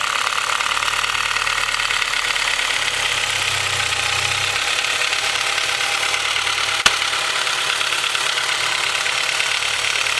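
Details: Honda H22 engine with Mahle Gold Series pistons at cold idle: steady hard, rapid even knocking. Piston slap from slightly too loose piston-to-wall clearances; engine later rebored with oversized pistons after about 5k miles, no skirt, wall or ring damage.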